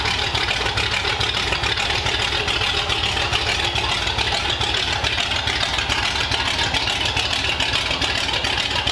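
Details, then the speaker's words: 1932 Ford Roadster engine, previously run on a run stand, now in the car with exhaust pipes running under it, started after a radiator fit-up: steady, even idle with smooth lope, no tapping or misfire; sounds healthy and idles really well. "it sounds healthy it sounds awesome I know we ran it on the Run stand but having it in the car with the pipes going down under the car it sounds awesome and it just idles really really well"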